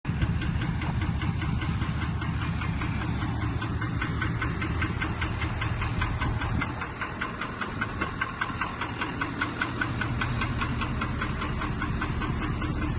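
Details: Ford 6.7 Power Stroke diesel, just back from the shop, at idle: a sharp, regular knock about two and a half times a second over the rumble. Bad injector.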